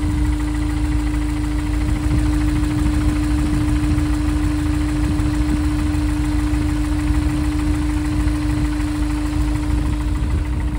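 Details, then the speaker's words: Honda S2000 with low oil pressure at idle and a cracked oil pan baffle after about 30 track days: warm idle with dull irregular knocking; owner unsure whether it is low oil pressure or a worn rod/crank bearing, and the oil analysis was normal. "because the engine is making a knocking noise when it's warmed up in an idle so I'm trying to diagnose if that is related to low oil pressure at idle"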